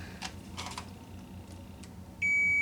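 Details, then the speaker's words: K7000 19-inch arcade monitor chassis, 15 A fuse fitted instead of 1.5 A: quiet probing clicks, then a steady high continuity tone across pins 1 and 4 of the STR3123 voltage regulator, reading 17 ohms instead of 220; regulator shorted. "Oh, our voltage regulator is shorted as well. Yep, 17 ohms. We should be reading 220 ohms."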